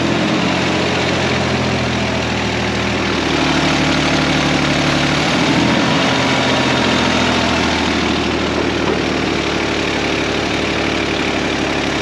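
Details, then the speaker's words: Carbureted engine being prepped for auction, idling with excess fuel: steady idle that speeds up briefly when spray hits the carburetor base, revealing a vacuum leak there; owner suspects loose base or worn, warped carburetor. "I guarantee you it's got a vacuum leak somewhere so we're going to see if we can find it it's possible this carbs just worn out and sucking air around the base plate or something we'll see"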